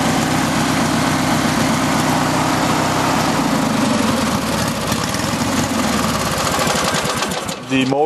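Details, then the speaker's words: Craftsman riding mower, twin-cylinder, started after sitting about six months, dry starter bearing: steady, fairly even putter at idle, not shaking much, so running on both cylinders. "is not shaking too badly so I know it's running on both cylinders"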